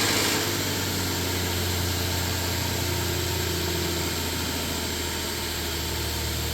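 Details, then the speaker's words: 2011 Nissan Frontier after camshaft position sensor (P0340) and heater hose connector replacement, which had revved high at startup: steady, even idle hum with no surging or high revs; normal idle. "Sounds good to me so far. We'll take it around the block and see if it has any issues."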